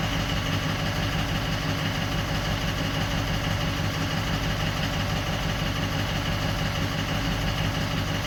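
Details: 2004 Ford 6.0L Power Stroke diesel, previously crank/no-start with injector bank dropout starting at injector 7; after the damaged wiring was spliced out the symptoms are gone. Steady, even idle clatter, no stumbles or misses: normal idle.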